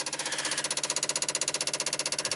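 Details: 1995 Dodge Ram V10 cold no-start, engine off: relays chatter with sharp, unbroken clicking about eleven per second as the warming PCM struggles to ground the ASD/fuel pump control; PCM 8 V reference sagging, bad PCM suspected.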